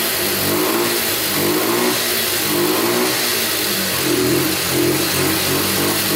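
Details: Abandoned Yamaha Breeze ATV on a cold day, started with gas poured into the carburetor and the air filter off: it surges and sags in uneven waves, never settling. It will not hold idle; owner suspects spark plug, missing air filter, choke or air leak.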